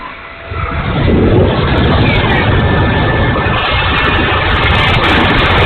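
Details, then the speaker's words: E-flite A-10 Thunderbolt II RC jet, twin 64mm electric ducted fans spooling up: loud rushing roar with an uneven, gritty rattle underneath; motor sounds bad and rough, cause unknown. "Okay, noisy engine time. I'll go easy with it."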